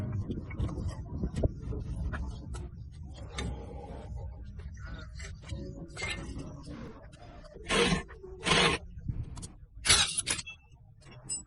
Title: The electric car is making a loud noise and can't move